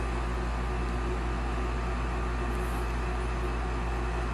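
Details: Olsen Ultra Max HDS 90 furnace after replacing the induced draft fan motor (old one had bad bearings): on the thermostat call for heat the new inducer starts with a smooth, steady, quiet hum, no rattle; normal startup.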